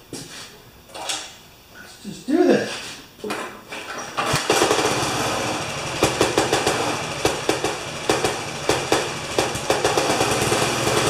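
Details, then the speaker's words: Older Briggs & Stratton lawn mower after new spark plug and tightening the engine to the housing base: heavy uneven knocks about three a second while running; owner hopes a loose blade, fears terminal. "Well, I hope it's a loose blade on that one, or that sounds just about terminal."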